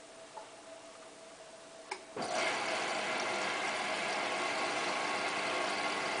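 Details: Hotpoint Ultima WT960 washing machine, cottons 60 wash with about 7 kg mixed load; steady whirring motor-bearing hum, water sloshing and soft regular ticking about four per second as the drum turns, ordinary wash tumble.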